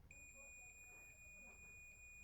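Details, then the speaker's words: Multimeter continuity test on a non-starting fan's power cord, probes on plug pin and selector: a steady high beep holds, so the cord is fine and ruled out, with the capacitor checked next. "okay O sea que el cable de energía no es el problema de este ventilador Okay entonces descartamos que sea el cable de energía"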